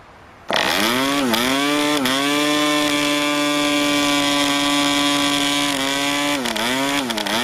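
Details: New PAW 40 TBR model diesel on its first break-in run, recommended break-in fuel, 12x5 prop on a vibrating clamp mount: steady high buzz that sags and recovers a few times; running rich and under-compressed.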